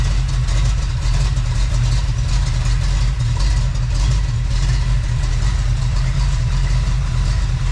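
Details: Freshly built Chevy small-block 350 (roughly 355), on first test run before full heat; smooth even low burble at slow idle, no ticks, knocks or misses, healthy V8 settling in.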